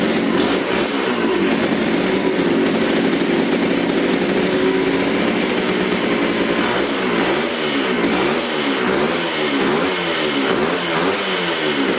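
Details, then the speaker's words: 1972 Suzuki TC125 two-stroke salvage bike, first run: raspy, uneven idle surging in a slow rhythmic wave; runs only on choke and bogs when the choke is off, and it smokes; more carburetor cleaning or adjustment of the air screw is suspected to be needed. "it only runs with the choke on if i turn the choke off it starts to bog out so uh probably gonna need a little bit more carburetor cleaning or just a new carburetor"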